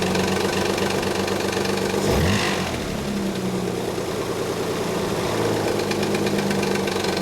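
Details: 1991 Nissan 300ZX idling with a loose, uneven slapping rattle about four times a second: collapsed timing belt tensioner leaving the belt slack, idler pulleys also noisy; noise fades after about a minute of driving; codes 13 and 34 present.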